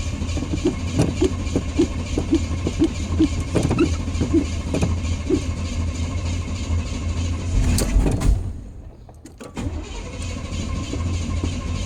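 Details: Truck that had been sitting a while: about seven seconds of uneven starter chugging, roughly three turns a second, with no catch, then just a thud; hard start, eventually got running.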